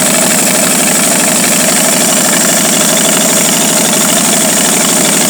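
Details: 1949 Studebaker 2R5 truck, Commander 6 engine, only keeps running fully choked: uneven, loping idle with a faint hiss underneath; rough idle from a vacuum leak.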